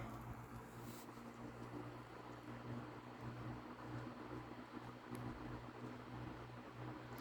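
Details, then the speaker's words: Early-1970s National Panacool F-30AM 12-inch desk fan, oiled, oscillator off, on medium: soft even low whir with faint steady hum, no ticks or rattles; healthy motor. "make sure the oscillator is off and start it up on low this fan is like dead quiet on low all right medium"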